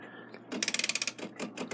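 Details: Takeda 30-day short-drop octagon schoolhouse clock, time side wound with a winding key: crisp, quick, evenly spaced ratchet clicks; this side's winding ratchet catches cleanly and works normally.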